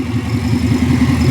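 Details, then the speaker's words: 1978 Ford F100 with Coyote V8 and 6R80 swap, first start and warm-up, open manifolds with no exhaust, ECM coolant reading 181 while Davies Craig shows 165: loud, raw, uneven stumbling idle; running too lean, a lean misfire at idle. "So, right now it's getting a little too lean. So, it's starting to get a little bit of a lean misfire at idle. So, I don't want to run this too long."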